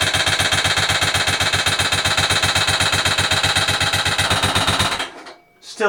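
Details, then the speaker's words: Motorcycle, after torquing the cam sprocket bolt and restarting: harsh, deafening clatter about four hits a second, hammering steadily until shutdown; the bolt loosened again immediately, loose cam sprocket bolt. "really strange noise deafening deafening sound I never heard it before"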